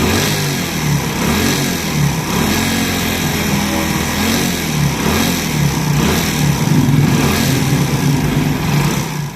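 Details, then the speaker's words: Honda Pridor single-cylinder motorcycle engine: hollow rattly knock in its beat from a damaged piston worn on both sides and loose in the cylinder; fixed by opening the head and cylinder and replacing the piston. "जब कभी भी इस तरह की ये आवाज आए तो वो पिस्टन की आवाज होती है"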